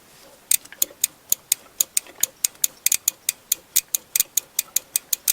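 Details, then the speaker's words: 1998 Chevy Tracker, fuel injector spraying fuel: sharp, crisp clicks about four per second over near silence as the injector switches on and off when the harness is wiggled; suspected intermittent wiring fault, location not yet found. "so when I wiggle these wires the injector switches on and off no bueno no good"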